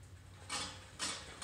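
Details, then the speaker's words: Fiskars Momentum 18-inch reel mower, reel freshly adjusted close to bed knife to cut paper: three sharp light ticks about two per second with reel rotation, one blade bent or longer catching the bed knife. "the only noise you're hearing right now keep in mind is that one blade on that reel that is making contact at that bad knife"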